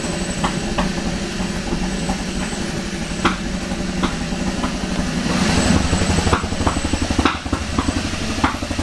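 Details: Kia Ceed GT idling after refitting tested ECU and clearing fault codes, battery dead: idle stumbles with uneven hits and loose irregular clatter instead of a smooth beat; misfire-type rough idle, cause not yet found.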